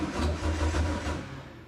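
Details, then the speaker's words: VW MK4 R32 twin turbo, newly wired starter on button start before first start: short burst of rhythmic low churning that fades, starter spinning the engine over normally with no grinding. "okay right so that's the starter motor doing its job everything's wide incorrectly I didn't make any mistakes so that's all good so there we go the start motor is working off the button that's a big milestone"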